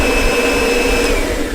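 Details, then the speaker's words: Kirby shampooer running with soapy water in the tank but without its mesh filter: steady motor roar with a high whistle and sloshing water, no foam-making sound, as plain soapy water just flows through. "So all we have there is the soapy water, and all this is gonna flow through it."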